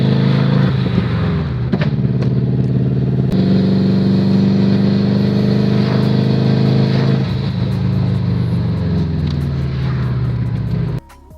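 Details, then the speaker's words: Subaru misfiring: an uneven, lumpy exhaust beat that stumbles through the revs, a cylinder dropping out; the cause was a failed ignition coil pack on the left-hand side towards the rear of the engine. "Um and that's because I actually identified where the misfire was coming from. Uh one of the coil packs seems to have gone bad."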